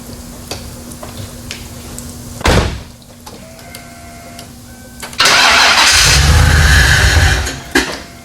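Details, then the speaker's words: 1995 Lincoln Mark VIII with a swapped 4.6 4V Cobra V8 starts, coughs and catches, then a loud sustained hiss and spray as transmission fluid blows out of the cooler line onto the floor. "You finally get it started and it coughs and goes, and it literally sounds like it has diarrhea. It's like, You know what that is? It's a transmission fluid going all over the floor out of the cooler line."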